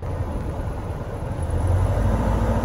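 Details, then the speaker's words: 1998 Ford Ranger with a dead skip, number one cylinder injector suspected; a noid light confirmed the injector is getting a pulse: a low, uneven rumble at idle with occasional stumbles in the beat. Misfire from a faulty fuel injector. "i'm pretty certain that it's the fuel injector on number one cylinder"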